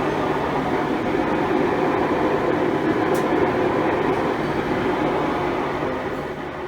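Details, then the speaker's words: 5-year-old Maytag Bravos XL washer on spin cycle: loud, steady train-like roar; tub grinds when moved by hand; owner diagnosed worn drive shaft tub bearings and replaced them. "So I thought I'd do some internet searching and discovered that it was the bearings that were the problem. Really, it's the only thing that spins all the time during the spin cycle,"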